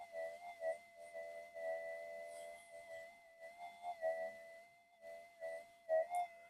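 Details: Minelab GPX-4500 metal detector, reported to go crazy when warm, on antiphase coils in mono mode, parts heat-tested one by one (damping MOSFET just heated): clean steady mid-pitched threshold hum, soft pulses, pitch held; normal, fault not here.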